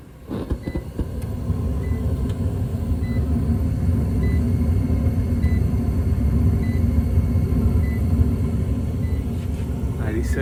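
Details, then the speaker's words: Trane XR furnace being diagnosed for a suspected bad control board, R jumped to W for a heat call: inducer motor holds a steady low hum, no rattle or squeal, small regular beeps about once a second; running normally. "But you guys seen the voltage inducer kicked on. We'll run through the whole setup to make sure it's heating."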